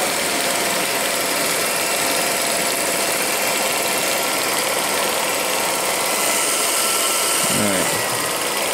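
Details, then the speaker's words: Revere P-90 8mm projector after cleaning the film guides and pressure plate: steady clattery whir with fine rapid chatter; take-up pulls film faster than it feeds, so it loses the output-side loop and the film bounces; cause unknown. "But what's happening is it's taking it up faster than it can spit it back out again."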